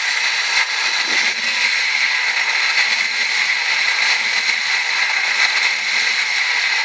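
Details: 1998 Ford Escort ZX2: steady, piercing high-pitched whine over the running engine at constant pitch throughout, source not clear; owner trying to diagnose the odd high-pitched engine tone.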